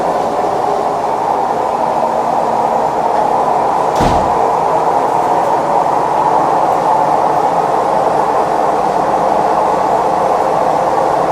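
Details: Maytag Neptune MAH19 washer ramping up to max extract: a loud, steady rumbling roar like a train, from bad drum bearings. The machine is also unlevel, with its feet stuck.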